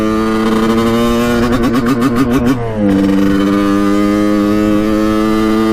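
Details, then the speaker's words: 1989 Kawasaki KX125 two-stroke, pilot jet cleaned earlier, first ride after warm-up: revs turn ragged and pulsing near the top, stuttering thud instead of a clean scream, then settle; owner thinks really lean, will check power valves; cause unconfirmed. "unfortunately it uh sounds really bad in the top end when we're at the higher rpms um it just goes like boom boom boom boom boom like it's thudding like it's like it's really really lean"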